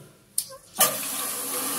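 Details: Caroma dual-flush toilet cistern after seal/washer replacement, water turned back on: a couple of clicks, then a steady even hiss of water rushing in as it fills; inlet valve sealing and flowing normally.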